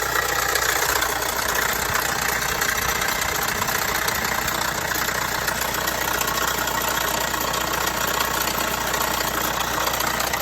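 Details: Vauxhall Astra 1.6 at idle: constant light metallic rattle over an even idle, present for a few months; dealer found no problem, source not pinned down.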